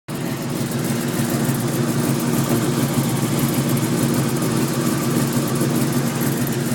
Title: Weird ticking noise '03 Cobra